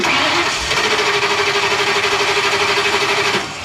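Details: RV with 6.8 V10, harder to start when warm; owner unsure if fuel pump issue; steady even cranking about three turns a second for three seconds, never fires; fuel filter, ignition coil and ground later changed. Cause suspected, not confirmed.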